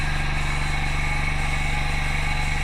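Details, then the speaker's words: Milking machine vacuum pump running at 0.5 setting, pulsator pulsing ch-ch-ch with a pause-suck rhythm, cluster attached and milking: constant low pump drone with quick, regular steady pulsing beat; normal milking machine operation. "Up and listen for the pulsator pulsing. It's going ch-ch-ch-ch-ch. So it's now ready."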